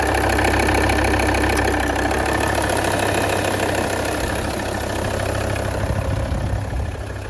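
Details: D5244T12 diesel, 170,000 km, cold start below +5°C: fast regular tick over the idle that eases slightly as it runs, heard from the front wheel arches (right stronger) and the belt area, seemingly from the engine's rear; it goes away warm, belt and alternator clutch fine, cause unconfirmed.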